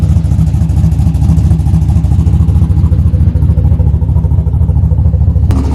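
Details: Junkyard-rescued old Buick Skylark running after reconnecting the battery, possibly low on gas: steady, even low rumble with no knocks or misses; normal running.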